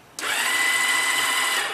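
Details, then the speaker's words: 2001 Yamaha V-Star 1100 Classic Silverado, unused for two months: fuel pump primes, then a steady high electric whir with no cranking pulses. The starter spins without engaging the engine even after a new starter clutch was fitted. "you can hear the fuel pump on the other side come on start us down here sounds like it's spinning"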